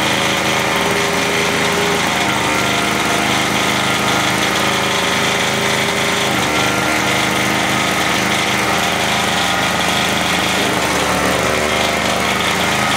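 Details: MTD 2-stroke single-stage snow thrower that would not start, running after carburetor cleaning: steady, high-pitched two-stroke buzz holding an even speed without surging or missing; runs all right, rpm sounds good; normal running.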